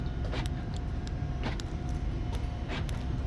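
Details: Audi Q7 after repair of loose connectors, blown fuses, relays and key reprogramming for no-ignition/no-communication fault: sharp separate clicks and clunks over low rumble as door lock actuators respond to remote; central locking works normally.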